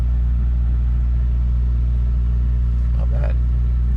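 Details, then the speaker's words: Mercedes W123 carburettor engine at idle, temperature stable: steady smooth drone slightly fast; idling a bit high, carburettor needs tuning; later found choke was on. "idling a bit high though and it's a carburetor so the trick would be actually to find somebody who can who can fix the carburetor"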